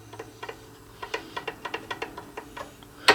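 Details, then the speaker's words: Dean acoustic-electric bass with fret buzz on first frets; fret rocker tipping over a high fret gives light irregular wooden clicks, about a dozen in three seconds, with a sharper tap at the end. "Alright, so here, uh-oh, we got some more rock again."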